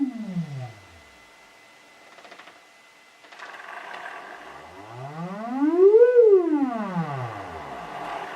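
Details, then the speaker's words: Celestion Ditton 25 T1600 woofer, stored 28 years and previously scratchy, on an audio sweep with the spider held centred by hand: clean tone up and down with no grating; voice coil moves freely. "So moving it halfway between it's not grating at all."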